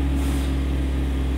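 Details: 2011 Chevy Avalanche, 168,556 miles, P0521/P0523 oil pressure codes: engine revs up cleanly and holds a steady, even low rumble with no knocks or ticks; oil pressure now around 40 psi, normal, up from about 15 psi earlier.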